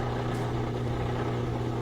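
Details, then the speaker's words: Whirlpool washer drain pump after a drain-problem repair and reassembly, with no leaks: the dry sump spins on air, giving a steady low hum with an airy, shifting tone. The drain pump runs normally. "Now we hear the dry sump spinning, but it's just hitting air, so the frequency changes, different sound."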